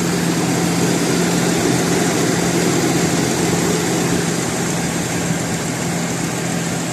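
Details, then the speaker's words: 2000 Jeep Cherokee XJ, 4.0 engine, automatic, petrol plus LPG injection, original engine, new battery, cold start without warm-up: steady, even low drone with constant idle note, no misses, knocks, hunting or shaking; smooth normal idle. "เดี๋ยวดูเครื่องกันนะครับเครื่องนิ่งดีนะครับรอบเครื่องอะไรไม่มีสั่นนะ"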